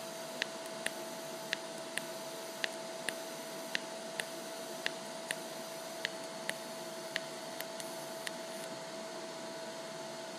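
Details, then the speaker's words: Lincoln Electric Aspect 230 TIG welder, DC pulsed welding 304 stainless at about 0.9 Hz pulse frequency; soft arc hiss with sharp pops about once a second, evenly spaced; normal low-frequency pulsed TIG arc. "so you can hear the pulsing it makes kind of a popping sound at this lower frequency"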